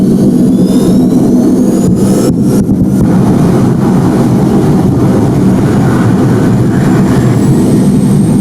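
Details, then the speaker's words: Homemade jet motorcycle turbine tested with a new ring stabilizer plus central combustion stabilizer: loud steady jet roar with a brief stutter and drop as the afterburner blows out in two stages; suspected stabilizer incompatibility. "As you can see, the afterburner blows off in two stages. First, the main flame disappears, and a thin blue stream remains, and then it blows away too."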